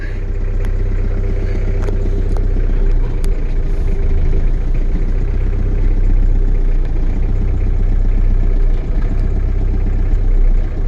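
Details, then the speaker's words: Diesel truck just started cold, with the manual throttle pulled out for cold starting: a deep, steady diesel rumble at raised fast idle with no stumbles. "turn the idle down this is manual throttle control pull it up for cold starting push it in then when it's warmed up a little bit"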